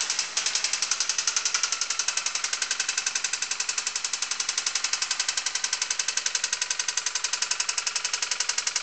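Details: Honda D16Y8 engine running: a sharp, very even knock at about four per second over the engine, which is rod knock from a worn rod bearing. A K20A2 swap is planned next.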